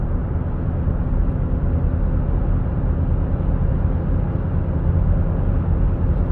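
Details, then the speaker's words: 2017 Buick Enclave with 130,000 km, front wheel bearings previously replaced: steady low droning hum from the rear at 55–60 km/h, present on snow and pavement so not tires, seemingly right rear; suspected rear wheel bearing, then replaced. "so i can hear a hum at 55 to 60 kilometers an hour and i'm driving on a snow covered road so it's not tires appears to be from the back get on some pavement so you can definitely hear it now"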